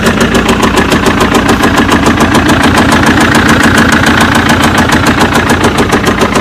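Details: BMW engine with sharp, regular tapping keeping pace with the idle, clearly audible over the running engine; owner says the car was bought with the problem, knock of unknown origin.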